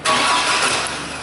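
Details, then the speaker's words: 2001 GMC Jimmy, towed in after sitting, cranks evenly but never fires; coil test shows spark only when the key is released, so ignition coil power is cut while cranking, diagnosed as a bad ignition switch causing an intermittent no-spark no-start. "we can see it only Sparks when we stop cranking yeah so that was pretty interesting to see this thing crank over but only spark when you let off the key"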